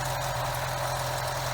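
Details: BMW 116/316 engine at idle after the repair: steady, even idle with smooth low hum, the belt-like whistle gone; engine healthy after repair.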